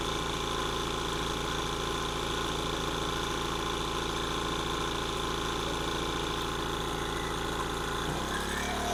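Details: King Canada 1500 W generator (1200 W rated), Chinese engine, loaded with a 1500 W heater: steady drone with an even firing beat under load, then drops away as load comes off; runs fine.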